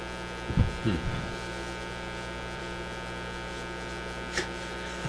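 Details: Canadian Motorola MK-56R five-tube AA5 radio running at about 100 volts: constant low droning hum from the speaker with no program audio as the radio section dropped out; mains hum caused by a failed capacitor needing replacement.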